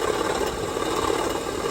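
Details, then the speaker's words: 2007 Honda CR-V idling with AC on: harsh steady rattle and buzzing vibration shaking the whole engine, felt through alternator and AC clutch; noise present before AC engaged (clutch bearing first suspected); AC compressor internals breaking apart. "I can feel it in the alternator. Definitely feel it in the clutch."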